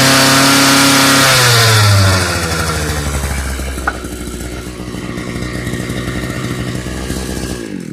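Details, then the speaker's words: Thunder Bay Y43 two-stroke post hole digger, complaint won't start, fired after a little throttle: high buzzing rev falls back to a crisp, steady idle with no stumbling or misses; running normally. "Sounds like a powerful machine."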